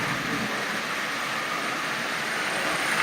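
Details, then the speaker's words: Marx Santa Fe toy train shell fitted with a micro motor in place of the original: steady rushing whir with a constant scraping rub, as the new wheels, much larger than the originals, drag inside the shell. "but you can hear the wheels rubbing on the inside of that shell like I said the original wheels are much much smaller than that"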